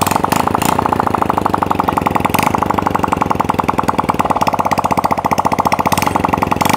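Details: Honda Supra Fit motorcycle, exhaust pipe removed, after replacing the crankcase seal and re-fitting the piston rings for heavy smoking: sharp, even popping from the open exhaust port, no misses or stumbles, no smoke; runs clean.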